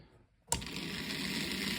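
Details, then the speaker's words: Simple homemade DC electric motor kit on a classroom power pack at 2 volts; kicks in and settles to steady even high whirr, no rattle; running properly, brush-tab pressure changes speed slightly. "Okay, so sometimes you can play with the pressure on these switches or on these little tabs, and it will change the speed of your motor a little bit."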